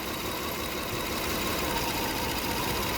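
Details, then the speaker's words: Toyota Kluger V6 (3FE) idling around 650 rpm during misfire diagnosis: cylinder 2 disconnected for a power balance test, the idle note sags with an uneven, loping beat and RPM drops. "Well, I can hear the engine change. All right. That's not good. The engine has changed and it has dropped RPM."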